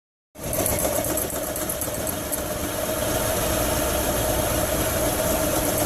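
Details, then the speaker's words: Hyundai Santa Fe 3.5, idling: loose, uneven intermittent knock from the right side, helicopter-like, from a bad AC compressor pulley assembly wobbling egg-shaped as the belt spins it; the rocking sounds like an engine bearing knock. "your knocking noise AC compressor watch that pulling on the right as the belt spins it get a little egg shape and it bounces all over the place"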